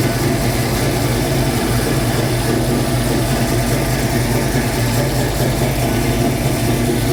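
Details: 1966 Mustang Fastback, new 347 stroker V8 just after first start; steady raised idle with even, busy exhaust beat, owner says carb idle screws need adjusting; fast idle.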